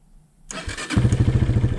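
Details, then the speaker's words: 2003 Honda CRF230F, engine hot, after carburetor float and fuel screw work, bogs when throttle snapped from idle: brief crank, fires almost immediately and settles into an even quick thumping idle; normal hot start. "Okay. Yeah, that fires up nice and quick."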